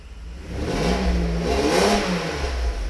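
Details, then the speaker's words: Mercedes SL600 that has sat a long time, with bad cap and rotor and weak spark: on a rev the engine climbs and falls back with a breathy puffing edge as exhaust blows by at a leak. "and you can hear the exhaust Blowing by"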